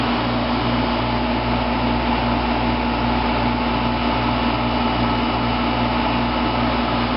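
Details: 1995 Fedders window air conditioner, never serviced or recharged, heard from inside the room while cooling: even, constant hum and fan rush, no rattles or squeals; running normally.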